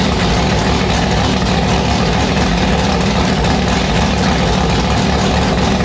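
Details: Annabelle's V8 on E85 just after fitting a returned 1150cfm Pro Systems carburettor: loud choppy idle with uneven lopey pulses and heavy low rumble, sounding violent; lumpy idle, fresh carb not yet tuned.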